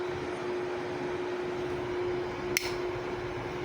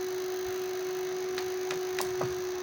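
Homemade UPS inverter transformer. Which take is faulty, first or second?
second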